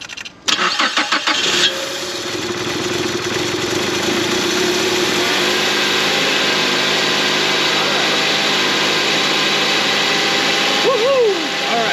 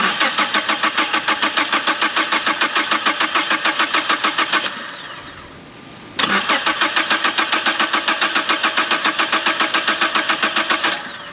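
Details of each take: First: 2011 Mazda CX-7, first start after engine replacement, a forgotten sensor plugged in, antifreeze not yet added: starter cranks briefly, engine catches and settles into an even steady idle with no knocks or misses; normal start and idle. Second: 2011 Mazda CX7, first start after engine replacement: two long cranking bursts at about 3.5 turns a second, never catching. The cause was a sensor left unplugged after timing work. No-start.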